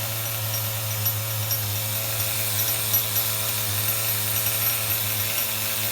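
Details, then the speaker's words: HPI RS4 Nitro F150 nitro RC truck bench tuning at operating temperature: high steady buzzing run with a heavy low drone and no crisp cleanup, as the bottom-end (low-speed) needle is still set rich. "all right we're definitely in the operating temperature now guys because Bottom's still rich"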